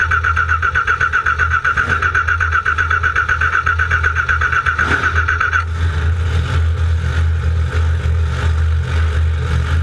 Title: NO start oil leak 13 4 13